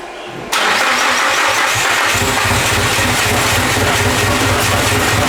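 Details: Nissan S15 being revived after fuel system work, with power confirmed at the fuel pump. It cranks and catches quickly, then holds a loud, lumpy idle with an uneven low pulse. The engine is not firing on all four cylinders; the cause is still being investigated.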